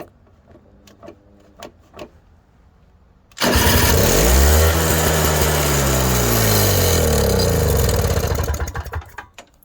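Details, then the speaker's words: Toro CCR 3650 two-stroke snowblower after primer bulb replacement, fuel added, electric start tried to check for leaks: a few clicks, starter spins, engine catches at once and runs busy and even; normal electric start. "And then we're going to try to do an electric start and see if it's going to start without leaking."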